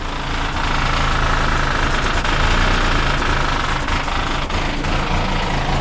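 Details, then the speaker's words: 1973 Ford LTD barn find, V8 idling on a trailer before exhaust replacement: loud, rough, raspy blatty rumble with uneven pulses, terrible-sounding. Worn loud exhaust, about to be replaced with Speedy 10 mufflers. "That's the exhaust. It's terrible."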